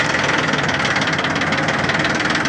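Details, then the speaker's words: Yanmar three-cylinder diesel 4WD mini tractor (title says F13D 13 hp), about 700 hours, freshly started after a glow-plug preheat, idling in neutral. An even, regular diesel chug with no extra knocks or grinding: runs normally. "здесь у нас все работает ровно работает отлично трактор [музыка] пожалуйста работает ровно без лишних Шумов"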